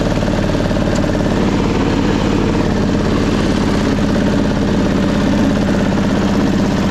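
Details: 1999 Craftsman lawn tractor, 20 hp V-twin, mowing-deck test before carburetor cleaning: uneven, lumpy beat with a pulsing low thrum that never settles; it floods and runs rough, suspected carburetor issue.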